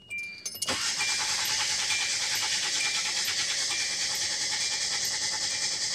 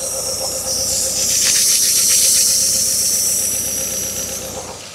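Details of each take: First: 2010 Hyundai Accent with cylinder 4 misfire at idle, fuel pump relay pulled, relative compression test: starter cranks at a steady, even beat about three per second; compression above 80, likely not the issue. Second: 2010 Hyundai Accent at idle, mic near engine: loud steady high-pitched hiss, vacuum leak from torn intake manifold gasket causing cylinder 4 idle-only misfire (P0300–P0304) despite new coils and plugs; gasket replacement fixed running.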